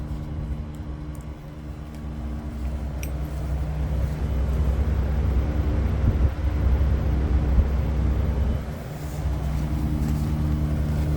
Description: loud buzzing noise from Daikin Erla 11kw, It's a pity that the camera couldn't capture the sound in full, it's twice as bad